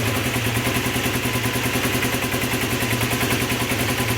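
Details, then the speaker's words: Honda CB250N Superdream twin after carb rework: revs cleanly and settles evenly, steady beat, no misfire or hunting; carbs balanced with equal readings, mixtures fine, more responsive. "mixtures that's fine the carbs are now balanced the ratings were the same so"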